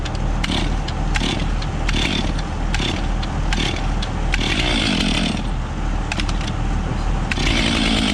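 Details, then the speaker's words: Stihl 500i fuel-injected chainsaw, cold morning start without priming; catches unprimed and settles into a steady slightly lazy run with throttle blips, normal cold start. "Wow. So that was without even pushing the primer button."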